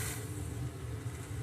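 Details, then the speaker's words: Sony STR-313L receiver phono preamp, located by freeze spray: steady, shapeless low roar with no rhythm, stopping when chilled and returning with heat; noisy first-stage transistor Q501. "so we're pretty sure it's Q 501 this this first stage of the amplifier"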